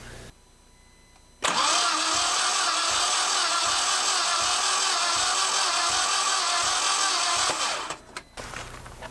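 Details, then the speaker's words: Compression test, plugs out and injectors unplugged, cranking: even quick whirr; cylinder one reads only 55 psi versus about 155 psi on cylinder two, indicating low compression on cylinder one. "55 psi one cylinder one that's a good start cylinder two made a hundred and fifty five ish psi cylinder one made fifty five"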